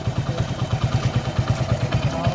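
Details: Hero Splendor Plus with recently rebuilt engine, tappets already set: light sharp tick about ten a second over idle persisted because the 8 mm valve adjuster bolt wasn't seated tight; loosening and retightening it silenced the tick.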